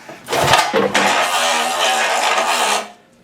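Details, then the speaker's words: 1972 Evinrude 18 hp Fast Twin outboard, sat for years, very salty and rusty, no electric start: a short tug then a slow, dragging recoil pull with rough rasp, no spark or firing; stiff, sticky recoil starter prevents spinning it over. "So, not getting any spark with at least the lame amount I can pull it over with that very salty, very sticky recoil starter."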